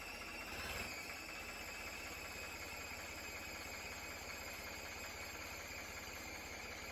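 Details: Restored Ford 4100 tractor: even diesel idle, steady low rumble with a high whistle above it, no knocks or misses, running smooth and healthy.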